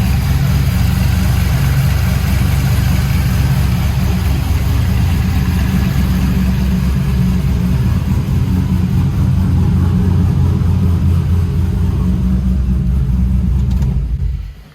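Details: Trailblazer SS with long tube headers and full 3-inch exhaust: deep, loud V8 idle and revs with a steady, even beat, no knocks or misses, shutting off cleanly; still runs, not yet driven.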